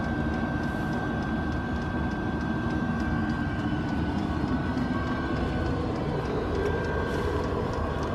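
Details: Diesel heater in a van in subfreezing Alaska, apparently lighting after the old hose clamp was taken off a fuel line with some suction in it; internal temperature climbing from about 44 toward 78°C. Steady even roar with a faint constant high whine, no sputtering or puffing. Normal running.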